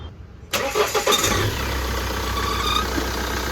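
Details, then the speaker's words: Mahindra Scorpio after engine rebuild with original Mahindra parts, oil checked, plain water in place of coolant: short crank, starts on first self, then a smooth, steady idle with no knocks and no back compression. Normal start. "দেখতেই পাচ্ছেন গাড়ি এক সেলফে start হয়েছে। গাড়ির sound শুনুন, গাড়িতে খুব সুন্দর সাউন্ড আছে, কোনো প্রবলেম নেই।"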